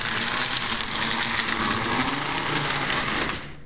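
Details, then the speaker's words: Lionel 602 Seaboard NW2 switcher after a rubber-band fix: fast buzzing motor with an uneven chattering rattle as it shakes; needs tightening further. "let's see let's just run it i see it shaking i'll have to try to work on that more and see if i can squeeze it together a little tighter"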